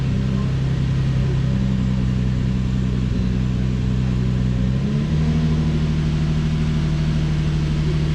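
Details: Infiniti G35 cold start after spark plug replacement: a steady deep hum with even firing steps down slightly midway, a loud high first-start idle with no misfire heard; misfire data being checked, normal cold-start high idle.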